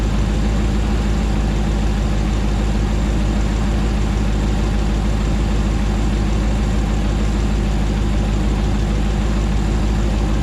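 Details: 2009 Hemi 1500 TRX4 auction truck, first start after months of rebuilding: smooth, even V8 idle with steady low rumble, no hunting or stumbling, settling down while warming up and no longer jerking around like before; normal idle.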